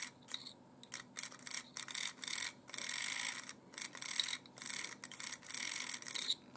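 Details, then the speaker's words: Windshield washer pump bench-tested by applying current to its two pins: a thin, high-pitched buzzing whir in short bursts each time power is applied, steady while on; the pump works normally. "We put a little current in it, and see if it works, we have to place the clamps well , let's see, it sounds good,"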